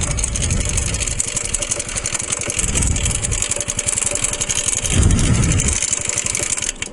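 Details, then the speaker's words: Honda Nighthawk motorcycle on a ride: rough uneven engine with loose heavy knocking about four per second swelling and fading with revs, smoke afterwards; something inside the engine broke. "well [ __ ] yep something just [ __ ] gave out"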